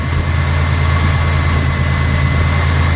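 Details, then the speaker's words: 1991 Buick LeSabre after cam sensor work for code 41, just after start-up: steady, even low hum with no knocks, misses or surging; smooth healthy idle, may rise and fall slightly during the computer's one-minute system test. "Sounds just fine. You might hear the idle change up and down a little bit."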